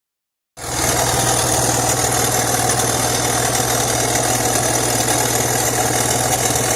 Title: 2004 BMW X3 3.0i M54 Exhaust leaking somewhere